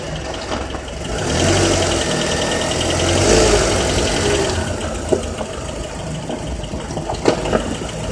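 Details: Honda Accord with K24Z3 engine, light metallic rattle over the engine between 2200 and 3000 rpm, loudest through the mid-rev rise; source undetermined.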